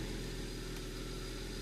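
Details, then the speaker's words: 2010 BMW 135i with N54 engine and MSD81 DME, first start after a crank/no-start immobilizer fault was cleared: low idle with an uneven, lumpy beat; running rough with a cylinder 3 misfire. "It is running poorly. Wow. Alright, so it came up, still absent. Misfire number 3."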